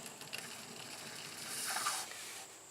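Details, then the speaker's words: 1984 Workhorse GT-1800 wheel turned by hand gives a dry, gritty scraping hiss with faint ticks, a bad wheel bearing before replacement. "yeah it's got a bad bearing you can hear it"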